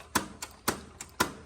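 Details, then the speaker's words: John Deere 318 lawn tractor repowered with Kohler 25hp, key start: sharp clicks about every half second with fainter ones between, no cranking. Key switch feed measured about 7 V instead of 12 V; fault location unknown, relay kit planned. "And when you go to start it, you're going to hear what it does. It's just a click."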